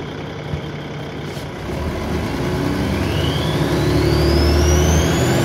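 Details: Dennis Trident 2 double-decker bus, Alexander ALX400 body, pulling away in service: high whine climbing in pitch with speed above the diesel drone; described as loud turbo whine, cause unconfirmed.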